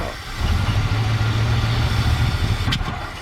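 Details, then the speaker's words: 1967/68 Ford F100 on its first start in about 10 years, after a carburetor rebuild: a lumpy, uneven V8 idle, then one sharp pop; a backfire, with timing suspected to be off, possibly a fuel mixture issue, not confirmed. "oh timing might be a little bit off did it backfire it sounds like it could be uh much gas or something oh not enough gas"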